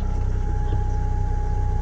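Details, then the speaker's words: Galant VR4 with a bigger turbo, after installing an Evo 9 fuel pump, at idle: faint, steady mid-pitched pump hum with no whine or surging, near stock and not audible from inside the car; normal. "can hear it a little bit yeah you're definitely not gonna hear it from inside the car so it's pretty good man it's almost like stock it's no it's not like some screamer"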